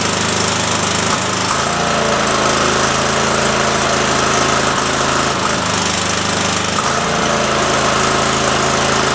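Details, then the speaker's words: Cub Cadet mower engine: loud drone that runs well briefly then sags and stumbles as if fuel-starved or missing; owner suspects fuel solenoid or bad coil, later suspects solenoid leaking fuel (possible air leak); carb rebuild planned. "when it's running it'll run fantastic for a minute and then it'll act like it's uh not getting enough gas or it even sounds like it might may be missing like a bad coil"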